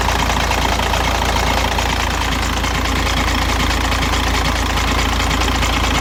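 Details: 2006 VW Jetta TDI 1.9L diesel, 215,000 km, after timing belt change and transmission flush: steady cold idle with a rough, uneven knock at about one and a half beats a second from the bottom of the engine, gone after 5 minutes; oil pump looks fine, cause unknown.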